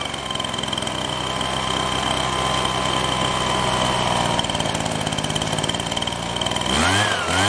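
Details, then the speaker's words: Husqvarna 125BT backpack blower two-stroke: uneven buzz with high whine, revs sag and wander near end, losing power as choke butterfly opened; carburetor problem suspected, not confirmed; bogs. "but this is like I put it in that position it kind of falls flat on its face so we need to pick them that's the issue that most like that we have something with the carburetor"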